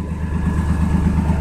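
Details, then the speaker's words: 1992 S10 Blazer idling on a cold day after new plug wires cured a multi-cylinder misfire: a smooth, quiet engine with a light, quick puffing rattle in the exhaust note; exhaust leak at the catalytic converter, exhaust smell noted. "It's got a leak on the cat though. You can hear that rattling a little."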